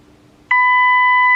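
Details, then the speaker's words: New-old-stock Cybernet ZX1 CB radio, squelch adjustment with 100 microvolt signal-generator input: squelch wound shut blocks it, then a clean steady one-second beep comes through once squelch is eased back; receiver passes test signal normally. "Alright, with the Squelch wound shut, it's not coming in just at the minute. We'll bring the Squelch back a little bit, show you."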